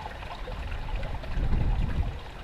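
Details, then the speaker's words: 0.75kW 230VAC single-phase capacitor-start submersible pump motor on a 0.75kW Senlan SB150 variable speed drive at about 40 Hz: steady water rush over a low even rumble, no knocks or surging; runs fine with flow somewhat reduced. "40 odd Herz no problem flow is reduced somewhat at the pump continue down to 30"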